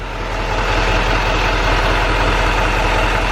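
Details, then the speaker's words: GM Duramax diesel pickup idling cold in about 75-degree weather, mic near the engine: light, fairly even tick over the diesel clatter, the well-known GM tick; source not pinned down. "I see GM still has that ticking noise."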